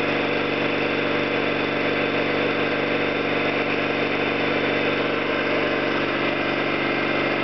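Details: Orlík 2 JSK 75-2 piston compressor at one of its first starts after the owner's rebuild of valves and seals, motor provisionally run in star for the house breaker; steady even piston thump, constant pitch, no knocking or valve clatter; normal running.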